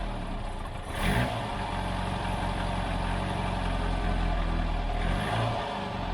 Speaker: I'm still pretty sure, or my theory at least, is that it's either the valve train, something in the valve train, the rockers, the push rods, maybe even just the valve. That's the problem. Or maybe it's the timing chain.